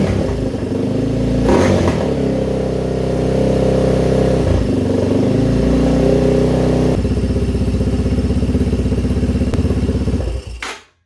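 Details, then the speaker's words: 2011 Yamaha Raptor 250, single-cylinder, first start after oil change and flush, sitting about a week: revving up and settling with a light clatter over the exhaust beat; noise from the cam area, cause unclear. "Bit of noise come from the cam area."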